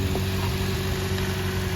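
Steady, even low idle with a constant hum and no stumbles or skips; engine sounds healthy at idle.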